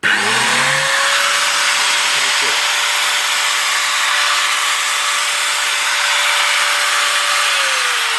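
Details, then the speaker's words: Makita 9558HN 125 mm angle grinder after replacing armature and gear housing for sparking at the commutator: spins up to a steady, even whine and winds down cleanly with no rattle or sparking crackle; normal running. "and yep it's working so we're lucky we fix this"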